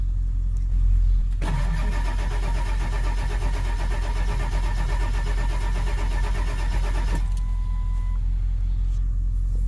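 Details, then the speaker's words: 7.3 Power Stroke Ford van that sat a long time: steady even cranking at nearly three beats a second for about six seconds, never firing; low injection control pressure, suspected injector O-rings, pressure regulator or pump; dead cylinder not ruled out. "sounds better cranking than i did the other day so i'm hoping there's no dead hole"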